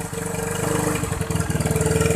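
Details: Used Indonesian scooter/motorbike (Vario, Mio, Vixion, Beat or Scoopy type) checked before buying: a quick, even put-put at idle right after starting, every beat the same with no stumbling or popping; the engine is running fine.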